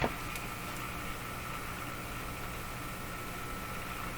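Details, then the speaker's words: Moffat (Crosley) G2465 five-tube radio at first power-up, brought up slowly to about 100 V: a steady low hum under an even hiss with a faint whistle and shop interference, with no station tuned yet; operating normally. "well it sounds like it's operating let's check the volume control"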